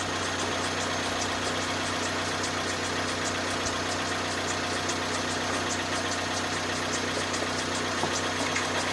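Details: 2010 Vauxhall Zafira 1.8 petrol, idling with a fast light ticking and rubbing, first thought to be rod knock. Owner concludes it is the water pump, possibly also the timing belt tensioner or dampener.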